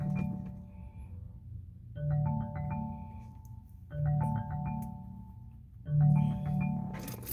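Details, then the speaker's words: 2019 Chevrolet Malibu, engine off and display turned off: marimba-style ringtone repeating about every two seconds, started on an incoming phone call and won't stop even after locking doors; infotainment ringtone stuck, source unknown. "so that's what's going on with it it just keeps on making that making that noise it was when I received a phone call and I was trying to answer it"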